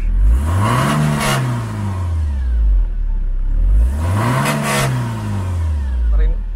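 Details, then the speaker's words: 2000 BMW E46 318i with M43 engine, after an easy first-try start with no exhaust smoke: two even throttle blips rising and falling smoothly, no misses or knocks; engine picks up cleanly, normal. "Ya, seperti yang sudah dilihat tadi, starter mobil ini nggak terlalu susah. Sekali starter, jreng, langsung nyala. Dan nggak ada keluar asap juga di knalpot."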